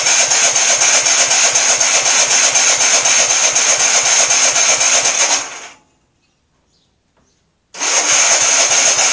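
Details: MTD auction lawn tractor after full tune-up and new cheap fuel filter: engine runs steady fast beat about four pulses a second, dies abruptly, refires; keeps stalling. Fuel reaches carburetor; owner suspects carburetor needs replacing, not confirmed.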